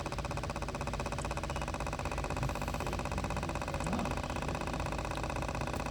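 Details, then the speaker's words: 2013 Cadillac XTS with code P0496, purge flow during non-purge. The scan tool commands the purge solenoid from 90% (pulsing, steady fast ticking over idle) to 100% (fully open), and it doesn't sound right. ECM control and wiring test good, pointing to the faulty purge solenoid. "so let's increase it to 100% you can hear the valves just doesn't sound right either"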